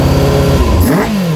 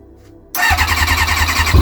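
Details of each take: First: Kawasaki ZX-6R, first run in 10 years after carb clean, just started without choke after suspected earlier flooding, revved gently. Quick rev climbs smoothly and falls back to an even idle with no rattles or stumbles; runs healthy. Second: Kawasaki ZX-6R after 10 years sitting, freshly cleaned carbs, 5 litres in the tank, tap on reserve, easy start tried. The starter spins steadily at about three turns a second for five seconds without catching. The fuel filter stays empty, so fuel is not reaching the engine.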